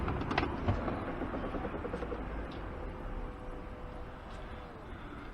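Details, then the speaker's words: Range Rover L405 lower tailgate, which sometimes fails to close and whose actuator wiring was replaced earlier: quiet steady actuator whirr for about two seconds fading evenly; opens smoothly. "bottom one opens fine so here it click"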